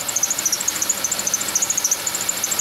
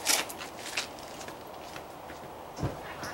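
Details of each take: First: Chevy Venture van, engine running: fast, regular high chirping squeak about ten per second over a quiet engine; suspected idler pulley directly below the air pump, confirmed when WD-40 silences it; squeal worsened over the past week. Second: Old Chevy Venture van after a new belt, idler pulley and tensioner: cranks, catches and idles steadily with light lifter ticking about three per second. The earlier belt-drive whistling is gone.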